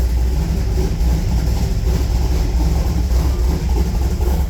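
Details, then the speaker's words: 355 small-block Chevy V8 Firebird heard at the tailpipe while warming up, after a valve adjustment and an exhaust leak fix. Even, burbling idle with steady pulses and no puffing; exhaust sealed, air-fuel readings now correct. "sounds pretty good back here okay so we got the valves adjusted and got the uh exhaust leak fixed tonight"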